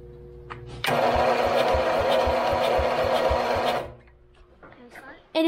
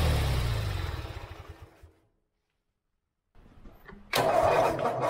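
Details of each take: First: Forgotten lawn mower, two-stroke fuel, battery charger connected: steady starter cranking about four beats a second for three seconds, never catches; no spark, ignition coil later found bad and replaced. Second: Forgotten lawn mower, seized engine freed with vinegar, fuel added to the carburetor bowl: engine winds down and stops, then fires and catches straight into a steady healthy run; finally running, milky oil found afterwards.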